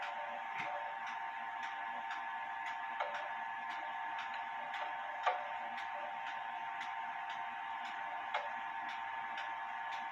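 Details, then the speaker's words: Clock out of beat: pendulum stop distances unequal (about an inch one side, 2¼ in the other); sharp ticks in a quiet room, tick and tock unevenly spaced, crutch needs adjusting. "you the goal of putting a clock in beat where the pendulum stops you want the same amount of distance on the left side as you have on the right side to get that even tick tock [Applause]"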